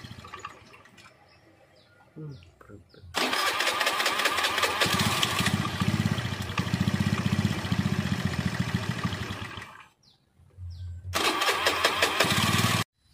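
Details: Honda Beat scooter: engine runs unevenly a few seconds, cuts out abruptly, restarts briefly and dies again; surging and sudden stalling, cause suspected but not confirmed.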